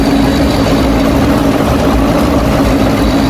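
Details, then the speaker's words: Hatari AC Classic1 air cooler fan running with a loud droning hum and heavy low rumble that grows with speed settings 1–4, before repair; suspected fault in the blower fan blade or motor. "มันมีเสียงดังขณะใช้งานนะครับมันก็น่าจะเกิดมาจากใบพัดลมโบเวอร์นะครับด้านในกับมอเตอร์เนี่ยต้องมีอะไรเสียสักอย่างนะครับ"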